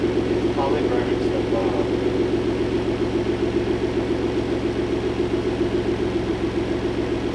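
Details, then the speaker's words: Clifford, after replacing the rod-knocking engine with a new one, running with hood on: even steady idle with smooth pulse about three to four beats a second, no knock or tapping; normal idle. "B cele I put the hood on running without knocking I'll take the celebration"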